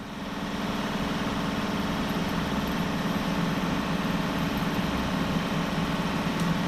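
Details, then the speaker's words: Lathe cutting a 3/16 radius corner on a large 10-inch bore bearing plate with an old Simmons radius tool bit: steady rough low buzz, tool chatter from the wide form-tool contact. "gonna deal with some chatter issues here [Music] as you can hear"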